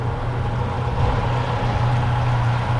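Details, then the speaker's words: Twin Yamaha F200 outboards on a Jeanneau Merry Fisher 895, first start after 3.5 months laid up, telltales running: low smooth steady burble, no surging or knocking; normal idle. "Telltales kicking into life. Yeah, they're running okay. Sounding good."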